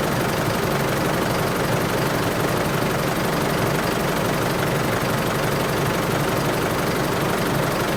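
Diesel settles into a smooth, steady idle with an even, quiet clatter and no uneven knock or hunting. Running normally.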